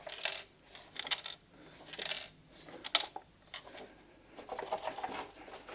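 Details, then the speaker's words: Chinese-made spindle inverter on a PrintNC V4 CNC build, shaken: irregular bursts of light metallic clinks; a small component has broken loose inside the housing, possibly a screw-mounting cable clamp. "Why does the stupid thing have to rattle now, seriously? That 's unbelievable, isn't it?"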